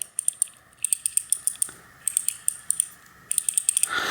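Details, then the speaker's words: 2000 Trek 6000, Shimano FH-C201 freehub after flushing old grease and dirt with spray: crisp, even ratchet clicks as it spins; pawls engage freely and smoothly. "now when it's fairly well flushed out it should be turning pretty smoothly and you hear the paws clicking in there"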